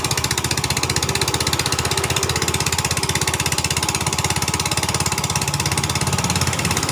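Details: 2010 Yamaha Vega ZR single, after repair of a rough knocking noise around piston and cylinder head: quick even putter about three beats a second, steady, no knock or rattle; idles cleanly.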